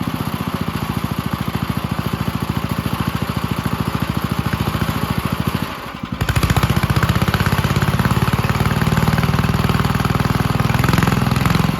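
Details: 1951 Gravely Model L garden tractor single-cylinder, running after carburetor cleaning and fitting a stronger backup magneto for weak spark: steady thump about 200 beats a minute, rising a little, even firing; engine runs healthy.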